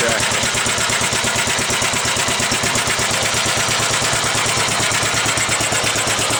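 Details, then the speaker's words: 1945 Gravely Model L single-cylinder at first start-up, with used oil added, oil lines bled and a different plug. Pull-started; the starter may not have been cranking fast enough. Rapid, even firing pulses with no misses or knocks; idles cleanly. "all right not bad 45 is run I think runs nice that's for sure"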